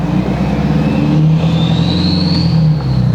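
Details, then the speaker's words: Ford 6.7L Powerstroke with KC stage 2 turbo, driving under load during 0–60 runs: deep diesel drone with a whistle climbing as the turbo spools, 6.0-like low down, 6.7-like high RPM; healthy, no surging or grinding. "But at the higher RPM, she sounds like a 6.7. Yeah, I know. It's like best of both worlds. Yeah. Like it really, you get the 6.0 lower and then you get the 6.7 high."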